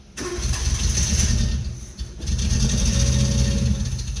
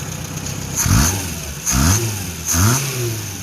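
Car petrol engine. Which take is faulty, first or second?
first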